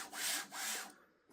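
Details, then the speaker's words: Sovol SV06 3D printer before the bearing swap: each carriage stroke brings a harsh, gritty rasp rising and falling with the motion. The original linear bearings on this axis and the Y axis have failed and are noisy. "So, cuz it's got rather noisy both that one and the"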